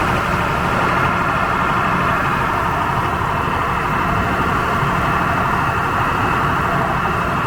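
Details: Standby diesel genset at a warehouse distribution center, oil checked clean and sufficient, test-mode run off-load: steady even drone, constant hum, no knocks or surging; normal off-load run.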